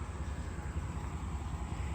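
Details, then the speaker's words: C1500 OBS two-wheel-drive truck just fitted with a new engine and transmission: a faint, smooth low V8 idle rumble with no knocks, ticks or misses. So quiet you can barely hear it running; healthy. "Can't even hear it running."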